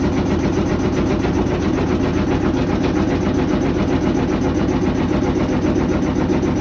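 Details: GE GUD27ESSM1WW stacked washer/dryer spinning empty: steady loud spin with rough repeating thump near two a second; heavy banging at spin speed, cause not found.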